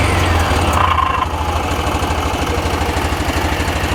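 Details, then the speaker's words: 2021 Axis (Hisun) 500 4x4 UTV, about 225 miles, revved in neutral: low, uneven pulsing rumble about three beats a second; abnormal drivetrain noise, clutch or one-way bearing suspected, not confirmed. "so that's a neutral I know we shouldn't do it while we're driving but that's a pretty interesting [Applause] sound"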